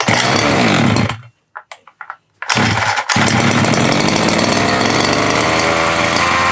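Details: Nitro RC car engine after fitting a replacement glow plug, little priming: high buzzing two-stroke scream cuts out briefly, then restarts and holds steady revs; runs properly on the new plug.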